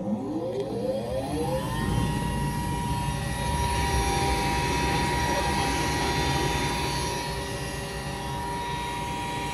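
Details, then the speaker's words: Goodman gas furnace on a no-heat call, jumped out: the induced draft motor spins up and whines, rising then holding steady and high. Its bearings are a little noisy, but probably not the cause of the fault. "That's just the induced draft motor. You're right, it's whining a little bit. That's to vent the gas out."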